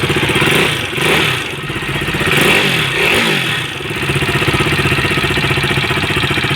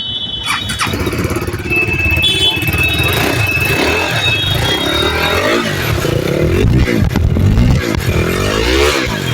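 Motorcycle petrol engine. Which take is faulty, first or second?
first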